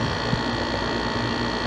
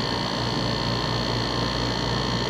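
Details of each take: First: Dometic RV rooftop air conditioner running, cover on: steady fan hum with buzzy rattle from the vibrating copper Freon return line rubbing through a worn rubber cable clamp to metal contact; holding the line stops it. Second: Dometic rooftop RV air conditioner after repair: smooth steady hum with faint high whistle, no rattle; rattle was the Freon return line rubbing metal-to-metal through a worn cable clamp, fixed by sliding tubing inside the clamp.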